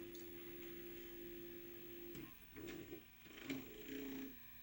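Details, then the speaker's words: 1988 RCA VR-275 VCR, bought with a jammed loading mechanism, now repaired, scanning after a single Scan button press: even low motor hum, then soft mechanism clicks as it stops. The transport sounds healthy. Owner wonders whether a belt or the power supply had improved. "this one's new enough where you just press the Scan button once to start and then just press play to stop and whine scan"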